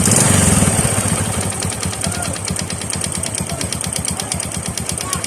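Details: Honda RS 125 carburettor-type single idling: a hollow, evenly spaced knock several times a second over the exhaust beat, the sound of piston slap.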